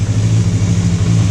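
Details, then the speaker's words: Free motorcycle, carb tops cleaned but bowls and floats not yet, on full choke: low uneven idle that stumbles and wavers, running rough though improved, puffing some smoke; cause unconfirmed, dirty carb bowls suspected. "It's idling, but it's rough. You can probably hear that."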